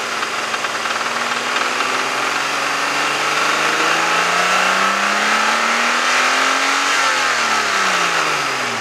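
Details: 1996 Mazda MX-6, runs and drives fine, check engine light on, revved: dull uneven knock through rev rise; owner suspects bad valve or rod bearing going, unconfirmed.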